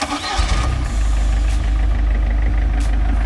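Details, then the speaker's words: MerCruiser sterndrive engine after installing Pertronix electronic ignition and a 3-ohm Flame Thrower coil, points, condenser and ballast resistor removed: quick catch into smooth, even low rumble, no misses; normal start and idle, starts instantly. "oh that sounds nice and smooth too nice it's not quiet that is that sounds so smooth love it"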